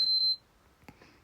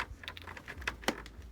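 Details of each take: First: PS5 that had been beeping three times and not turning on, repaired for a BIOS problem: one short, high beep then a faint click, the normal single power-on beep. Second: PS5 console at power-on: three quick high beeps, then it won't turn on; typical corrupted BIOS problem, repaired.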